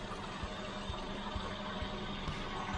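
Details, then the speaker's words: 1983 Renault Trafic campervan idling after the owner's work on it: a steady, even idle with soft regular low pulses about twice a second under a constant hum, running smooth. "come on you gotta admit i've worked on that and you can see how good a job i've done listen to it yeah you impressed"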